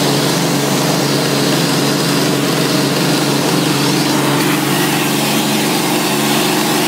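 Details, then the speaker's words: 1990 Electrolux 616 Electronic (Z616AE) vacuum cleaner, motor otherwise runs well: loud steady motor roar with a constant rough, buzzy growl underneath; brush roll bearings growly, rattling and vibrating in the background while using the tools. "the brush roll bearings um are a bit growly as you could hear them sort of rattling and vibrating away in the background when I was using the tools"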